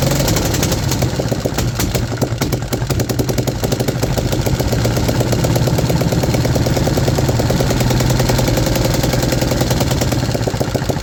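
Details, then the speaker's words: 3D-printed 125cc four-stroke engine: rough, rattly run with an uneven dry clatter like a Ducati dry clutch, only running on choke; an intake vacuum leak is indicated. "The main thing that I've noticed is that the engine only runs choke, and it actually sounds like a Ducati dry clutch somehow."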